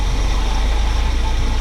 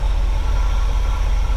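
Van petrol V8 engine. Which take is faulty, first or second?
first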